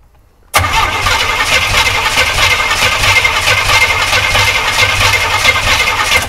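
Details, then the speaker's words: US-import GMC Vandura V8 petrol van, long non-running: starter spins steadily about six seconds with no firing, fuel pump has stopped delivering and tank may be empty or gunged up; crank no start from fuel starvation. "yeah we may run out of fuel that's a possibility cuz there's nothing coming out of this pump now and there was a minute ago"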